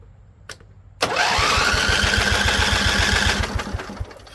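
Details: Husqvarna Z254 mower engine after electric PTO clutch work, low fuel just topped up and possibly flooded. Steady rapid starter chugging about four per second for 2.5 seconds; never fires, spark not yet checked.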